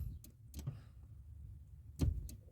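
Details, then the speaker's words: Car cabin: sharp, irregular clicks about every half second from under the dash, stopping when the brake is pressed, with rapid ticking on the hazards; an alarm-system component is suspected, unconfirmed. "the clicking noise stops so it's going to be caused by this component over here when I put my finger on it I can feel that ticking noise"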